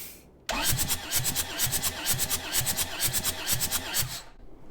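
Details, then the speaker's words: Long-neglected skid steer diesel, wet compression test with oil put down cylinders: even cranking chuff about twice a second, no fire; reading falls to 140-150 then just over 100 as oil passes by; rings possibly stuck or broken. "that time it's only up to 150 maybe 140. one more time yep just over a hundred so the oil in the cylinders that we just put down it is now passed through and has gotten out"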